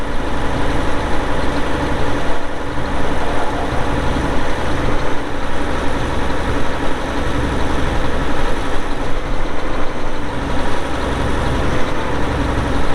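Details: 2002 Volvo G736VHP motor grader, Cummins diesel, about 6,691 hours (hour meter not working): deep, steady diesel idle with an even beat and no knocks or misses; running as it should.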